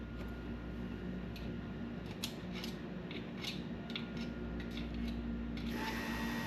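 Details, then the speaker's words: Truck with ACES EFI and Killshot timing control that randomly shuts off while driving: light tool ticks, then the fuel pump whines on twice as a signal is sent in. The ECU sees it, but no light flash, so the owner suspects a bad ECU. "there the fuel pump kicked on okay the uh ECU is seeing the signal I'm pushing in it is kicking the fuel pump on you heard it there twice in a row"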